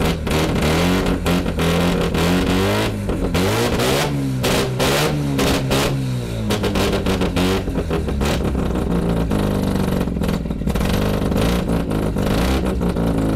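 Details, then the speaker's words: Mazda FC RX-7 rotary after fuel tank cleaning: loud, raspy exhaust as revs climb and fall, picking up cleanly on each blip; healthy engine, just a very loud exhaust. "pretty loud just just be glad it's not facing in the garage the exhaust it's ridiculous"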